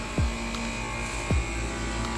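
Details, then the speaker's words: What appears to be a 3.5-ton R22 condenser with a steady compressor hum and no fan whoosh: the outdoor fan motor is not running. The capacitor looks to have been replaced already; a new capacitor will be tried, and the motor is suspected. "Compressor's running, no fan."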